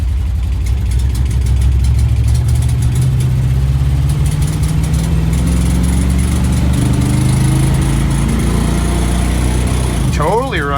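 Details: 1973 International Travelette crew cab with a 392 V8, parked 30 years, driven on a temporary fuel supply: engine pulls under load, then the note sags and wavers and dies. It ran out of fuel.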